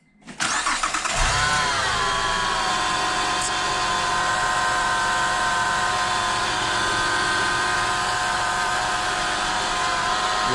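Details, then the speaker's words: 2006-2008 Honda Pilot: engine starts and a steady high-pitched whine rides over the idle, rising and settling with revs; not the replaced power steering pump but a worn alternator bearing, found with a mechanic's stethoscope. "okay well that winding noise was a classic power steering pump sound but we replaced the power steering pump yesterday and that was not the problem so back to the drawing board and we bought a mechanic stethoscope and kind of kind of deduced that it's the um alternator"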